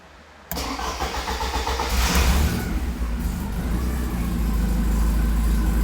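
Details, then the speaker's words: 1984 Porsche 944 after the wiring was fixed and the alarm bypassed: a quick crank, then it catches at once and settles into a deep, steady, even idle with no misses or knocks. A normal start despite massive exhaust leaks. "some massive exhaust leaks but she's purring away"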